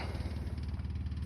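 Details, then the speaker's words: GM 6.5 diesel truck just fitted with a new electric lift pump and prime relay: deep, even diesel chug with steady low pulses and no misses or knocks; runs smoothly and sounds healthy. "and there you can hear it running that's about it"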